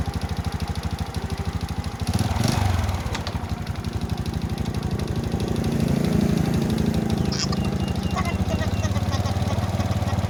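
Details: Honda Wave S 110 single-cylinder motorcycle engine: a fast, dry tapping on every beat that grows with revs, from a worn piston slapping in the bore; the piston was replaced.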